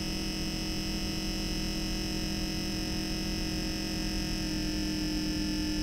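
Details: Brand-new MSI MEG Core Liquid S360 cooler on a 13900K with MSI Z790: steady thin high-pitched pump whine over a low hum, unchanging throughout.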